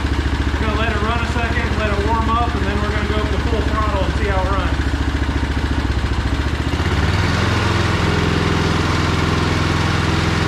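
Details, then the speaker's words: John Deere snowblower with a Briggs & Stratton Snow Series engine and a new HIPA carburetor (the previous one ran rich at full throttle): it runs steady and rises cleanly to full throttle with no sputter or hunting. Normal running. "runs okay so our test run was good"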